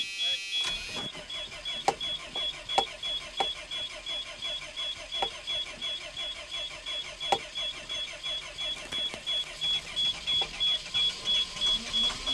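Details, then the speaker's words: Abandoned Georgie Boy Cruise Master motorhome diesel, unused nearly a decade, rotten diesel, third start attempt: steady rhythmic cranking pulses about three a second for several seconds before it catches and runs. "There we go. It's running again now. Let's see if it stays running."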